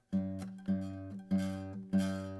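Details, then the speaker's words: Zager acoustic guitar deliberately set up to buzz: four strummed chords with a raspy, buzzy edge from string/fret buzz, before adjustment. "Buzz that's what a string buzz sounds like I purposely set this up so this will do this and we're going to go in and adjust it"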